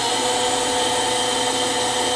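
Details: Three-phase motor on a milling machine run from a VFD set to ramp up in 3 seconds: even, steady whine with clean fixed tones, no roughness or knocking; motor running normally on the drive.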